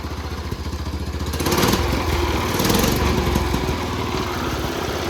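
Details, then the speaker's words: Cub Cadet 1200 mud mower, 12 hp Kohler, just revived after years in the weeds by cleaning the points, no smoke, idle set too high: loose clattery rattle over an uneven single-cylinder chug with a blip. Engine rattle at idle. "This thing's really rattly. All right, so the clutch is wildly unadjusted, so you gotta kind of slam it into gear. The motor sounds like it's trying to fall out of it, and the idle's not set low enough, but we're gonna go for a little ride."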